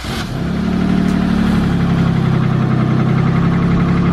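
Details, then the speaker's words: Chevrolet Malibu started right after its exhaust was re-welded with a MIG welder: catches and settles into a smooth steady idle with a low even exhaust note and no blowing or ticking leaks; normal idle. "now he's starting it up we're gonna see how she goes we're gonna see how quiet how quiet this exhaust is"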